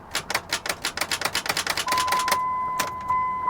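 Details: Mitsubishi 3000GT, 144,000 miles, with a jump start: fast, uneven clicking about three a second, then dash chimes, the engine never turning over. Starter clicks with no crank, cause unconfirmed.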